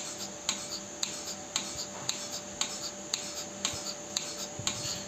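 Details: Milking machine pulsator: sharp clicks about twice a second over a faint steady hum, unevenly spaced; abnormal pulsator sound.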